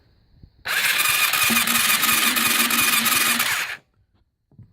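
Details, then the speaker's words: 2006 Yamaha YFZ450 on the bench, hard to crank: starter whirs fast and evenly, cranking pulse about three times a second, no spark and no firing; spark appears only when the relay is jumped, cause unknown. "so anyway I got to crank it as normal pull the clutch and hit the button no spark okay"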